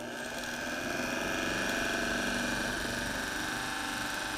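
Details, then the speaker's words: Ignition system demonstration, distributor spun by an electric motor with the cap screwed on: fast steady ticking over an even motor hum with a thin high whine as the coil fires each plug; normal distributor operation. "so our distributor is now spinning because our engine is running and that's the electrical motor we have an electrical motor spinning this obviously"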